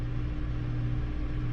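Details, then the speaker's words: 2018 Hyundai Elantra coasting downslope after repair, oil pressure about 14–15 psi even below 1000 rpm; quiet steady hum with no top-end rattle or stalling. Before the repair, pressure dropped to 5 psi downhill, causing a valve-train rattle and stalls on right turns. "so far we don't have any stalling issue or noise on the top end right"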